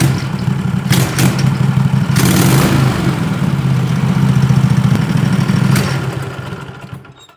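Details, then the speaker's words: 20 HP Tecumseh twin-cylinder racing mower engine with dual 34mm PVK carbs, needle at middle position three, warmed up: a steady, even low putter with no misses or stumbles. Idles smoothly at 1,700 RPM. "So I wrote now in the idling test. It runs smooth at 1,700 RPM."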